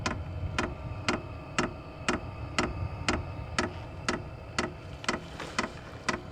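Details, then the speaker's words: SILVEL 12 V diesel heater at startup, ramping toward maximum speed, air beginning to come out: crisp, even fuel pump ticks about twice a second over a faint low hum; heater running normally. "it's going to start getting to be a little bit louder I can feel a little bit of air starting to come out there we"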